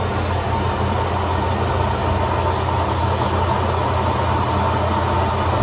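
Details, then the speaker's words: Atlas Copco SF4 rotary screw air compressor with internal dryer (480 V three-phase, 5 HP, 8 bar), 2,109 hours, starting with the outlet valve closed to build pressure. A steady low hum and even drone with no knocks. Running normally. "I'm going to turn it on. And we're going to watch it build up air pressure."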